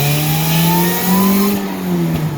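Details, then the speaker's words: 1990 Mazda Miata 1.6 with Jackson Racing M45 supercharger, adjustable fuel pressure regulator and MSD timing, about 5-6 psi boost, first gear pull at full throttle: light whine climbing with revs, no rattles or knocks; blower healthy. "So light throttle, right throttle, full throttle. Oh yeah, you can hear that whine when we go under boost. Love it."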